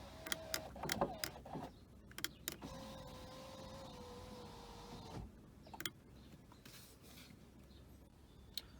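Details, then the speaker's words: 2006 Audi A3 8P 2.0 TDI 140hp, power window checked while the driver's window is only half working: switch clicks, then a smooth, even motor whir for about 2.5 seconds, easing slightly in pitch; works normally. "Après à droite ça fonctionne. Ouais, derrière ça fonctionne aussi."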